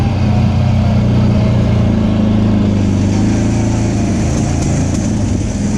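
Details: Off-road machine with a CVT, on its first trail ride after being brought back to running, warning light on: low, steady, labored drone that never picks up under load. The drive belt was slipping and later broke; it was not the timing chain.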